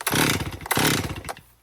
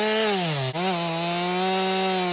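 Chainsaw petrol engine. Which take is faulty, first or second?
first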